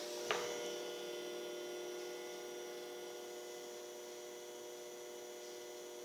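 Steady high whine with several fixed tones over a quiet background after switch-on; projector running unusually loud, likely its cooling fan.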